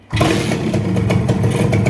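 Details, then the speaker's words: Modenas Dinamik 120 with an RXZ carburetor and newly fitted intake hose, started indoors: starts on the first try and the single-cylinder engine settles into a steady, even idle with no misses; starts cleanly. "Satu kali start je."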